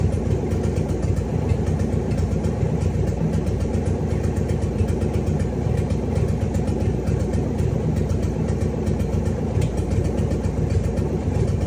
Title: Cadillac 500 startup after rebuild#cadillac500#engine#motor#hotrod#musclecar#lowrider#oldschool#cars